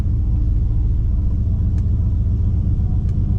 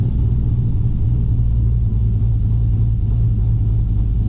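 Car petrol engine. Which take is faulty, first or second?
second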